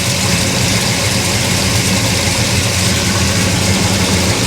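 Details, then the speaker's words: Monte Carlo V8, no driveshaft, first start while setting timing: loud, busy idle with choppy, lumpy low rumble and sharp edge; about 45 degrees advance at idle, far too much, timing to be reduced. "Oh, we're lost way too much. Take some timing out of it."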